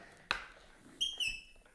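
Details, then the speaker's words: Cheap Bell Floornado 550 floor pump on a Presta valve: a pump stroke, then a thin high half-second whistle; pump head leaking air at the valve and not pumping air in properly, gets stuck if pumped quickly. "it's making such a funny sound and as you can hear it's actually leaking air"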